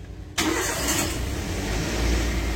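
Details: Car with a flat 12 V battery, started after some time jump-starting from a running motorcycle through cables: quiet, then the engine catches cleanly and settles into a steady, even idle with no stumble. Normal start.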